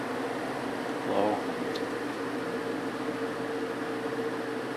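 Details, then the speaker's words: Vintage GE window ventilator fan after cleaning and oiling, running on high: faint, even hum with no rattle or scraping, slight vibration at certain angles; runs very quietly and coasts down slowly. "all right here is high going out much quieter foreign a little bit of a vibration when it's sitting at certain angles but it is super quiet now"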